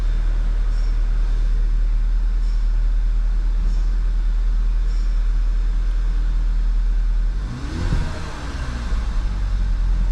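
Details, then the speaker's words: 2011 VW GTI that had a misfire, with low fuel pressure and a fuel regulator code, idling after a coil and plug swap: steady, even rumble with no stumbles, then a brief blip. No misfire now; a possible intermittent injector fault is suspected. "Okay, so let's see if it's not misfiring now. Maybe we did just need plugs and coils. Huh."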